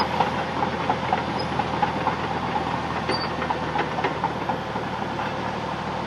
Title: That sound of track chatter from this Cat D6 Bulldozer